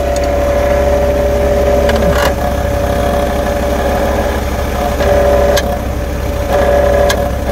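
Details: Car idling at standstill with a steady hum, metallic buzzing ring and sharp tinny taps from a loose catalytic converter heat shield on the exhaust; fix is refastening or welding the shield back on.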